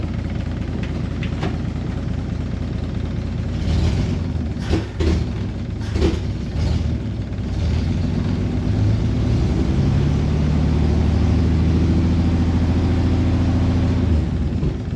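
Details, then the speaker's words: C30 V8 revved for the first time after idling with no choke: throttle blips stumble and bog briefly before the revs climb; owner suspects an accelerator pump issue; finding: off-idle hesitation. "okay looks like we might have an Al uh accelerator pump issue though"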